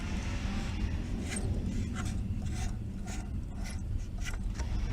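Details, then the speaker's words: Mercedes SL600, water pump pulley spun by hand: soft, even swish on each turn, no grinding or roughness; normal water pump bearing. "this is the water pump it is also pretty good"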